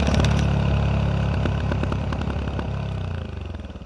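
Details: Yamaha WR125X with Arrow exhaust: uneven crackling pops in the exhaust as revs fall toward idle; backfiring on deceleration.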